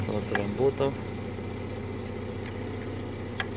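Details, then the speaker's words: Chery Amulet A15 whose fuel pump did not run because the alarm relay cut the yellow-red pump wire; after the bypass, the pump buzzes and the engine settles into a steady, even idle with no stumbling. "машина роби насос жужить так одна проблема по цій машині рішена"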